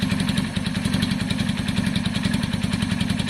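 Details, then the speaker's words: KSR Moto motorcycle engine at warm idle, seat bolted down: loud choppy single-cylinder idle with a metallic rattle riding on the exhaust beat and a leaky open exhaust. The engine rattles and is still smoky, with thin oil and a stuffed EGR blank-off. "That engine has a rattle in it, and it's still smoky, blah blah blah. It's got a lot wrong with it."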